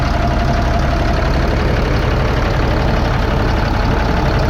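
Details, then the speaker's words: 2005 Fleetwood Discovery, Freightliner chassis, Cat C7 diesel, after replacing injectors on misfiring cylinders 5 and 6 that caused low power: steady, even idle clatter with no misses; all six cylinders firing. "all right so there she goes working on all six cylinders so we're gonna go ahead and button this back up"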